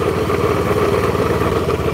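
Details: Black Honda Beat scooter, previously rebuilt with a new conrod but the same crankshaft, complaint of clunking: fast, hard metallic knock at idle deep in the engine; worn crankshaft bearings.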